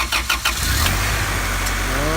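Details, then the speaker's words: Honda engine swap, blown B18 replaced with high-compression B20, first startup after install: brief cranking, then catches and settles into a super smooth, steady idle with slight rising whir; normal start. "first idol super smooth idle super smooth yep"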